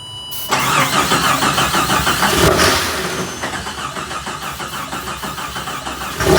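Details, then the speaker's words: 1987 Jeep Comanche after long sitting, cranked on starter fluid with a Power Probe: steady cranking around three beats a second with a loose, light rattle like beads in a jar and brief firing that never picks up; won't stay running. "okay try it all right so we are hearing it fire over but unfortunately we can't get it to stay running on the starter fluid"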